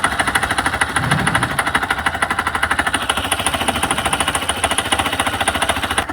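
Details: Hero Xpulse engine making a crankshaft-like sound: hard, rapid metallic knocking, about ten per second, locked to engine speed over the running note. Cause is balancer gear timing misalignment; the marks behind the clutch should sit opposite. No engine teardown needed.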